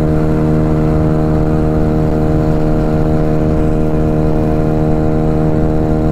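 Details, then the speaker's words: Honda Ruckus scooter fitted with a new GET motor, first real ride at steady cruising speed: loud, steady one-pitch buzzing drone, like a lawnmower going really fast; engine runs evenly, but the exhaust drones heavily and needs to sound better. "still sounds like a lawnmower going really fast"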